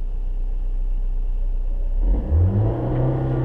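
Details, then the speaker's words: Manual-transmission car pulling away from rest: quiet idle, then engine note rises gently and evenly as clutch is released slowly with light gas, no bogging or judder; smooth clutch takeoff. "okay so it's a balancing act as I come off the clutch I'm going slowly on the gas and it's a balancing act"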